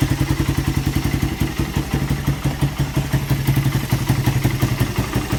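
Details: Suzuki Satria FU after repairing lost compression caused by a badly leaking valve oil seal, with a new piston fitted: a steady, slow, even single-cylinder idle with no ticking or clatter. Slight smoke remains and it sounds healthy.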